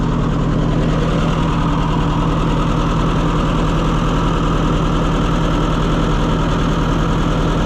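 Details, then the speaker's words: Late Oliver 550 tractor on a service call: low idle with a lumpy, irregular beat and occasional stumbles; running rough, possibly a spark plug not firing. "I think he asked me, if one plug doesn't fire, will that keep it from running? So it's possible that one of these plugs is bad, but I"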